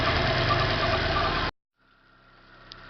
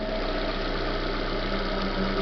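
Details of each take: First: 2010 Corsa Classic after replacing both belts, the tensioner and the timing belt, with the noise traced to a scraping water pump: a steady, even idle, quiet with no noise after 21 minutes. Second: Chevrolet Corsa Classic 2010 at idle: dry, constant scraping hiss over the engine, unchanged with the alternator belt removed; traced under the timing belt cover to the timing belt tensioner and water pump bearing.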